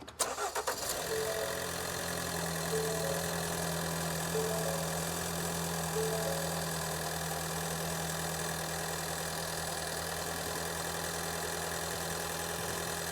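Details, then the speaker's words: Ford Escape with intermittent check engine light and cylinder 1 misfire, after spark plug replacement: quick crank and catch, then steady even idle with no stumble; fixed, it just needed spark plugs. "Yeah, I like how this engine sounds. This is fixed. I'm going to graph the first cylinder that was misfiring yesterday."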